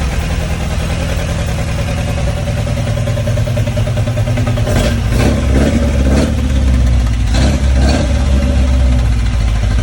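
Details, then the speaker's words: TVR Vixen Super Sprint Spec first start after rebuild, ignition timing retarded, idling steadily about 1100 rpm: throttle blips pick revs up sluggishly; hesitation from carburettors needing fine-tuning. "you could blip it on the throttle and the revs would pick up but there was some hesitance there so obviously there is a little bit of improvement and fine-tuning to do on the carburetors"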